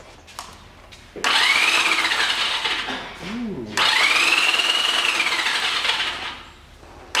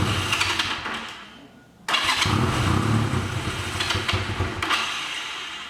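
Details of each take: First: 1985 Honda Rebel, about 2000 miles, on its first start after 17 years stored, boosted from a booster pack after a stuck engine was freed: three bursts of fast starter whirring with no firing. Cranks but won't start, with spark present; cause unconfirmed. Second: 1985 Honda Rebel with 2000 miles, first start after 17 years stored: on choke, after a short crank it catches and settles into an uneven but running choked idle, a sound start.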